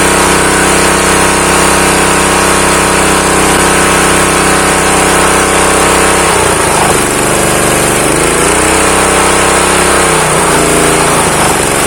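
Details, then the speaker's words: Honda GX160 water pump engine, seized from long disuse, compression lost, choke closed: idle unsteady at first with speed sagging and rising, steadies once the throttle stop screw is raised; owner suspects a dirty carburetor jet; no knock or rattle; normal idle. "Untuk stasionernya kurang stabil ini. Coba besarin dikit bagian gasnya. Nah, ini sudah nggak mati lagi nih."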